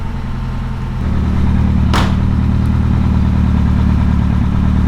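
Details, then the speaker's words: 1982 car revived after sitting for years, carburetted, choke partly on: steady, low, even idle with smooth exhaust burble, no knocks or misses; running healthily. "It has a nice tune as well on it, isn't it? >> Yeah. Yeah. >> Sounds good. The exhaust."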